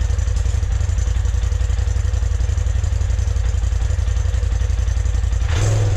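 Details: 2020 Polaris RZR Turbo S Velocity on stock exhaust, before Trinity stage 5 slip-on install: steady, even idle with firm regular exhaust pulse, then a quick clean throttle blip; normal idle and revving.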